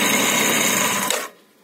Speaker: кто там не спрашивал что это за звук одолжишь это звук обгонной муфты когда немножко в обратку бьет как двигатель практически завершился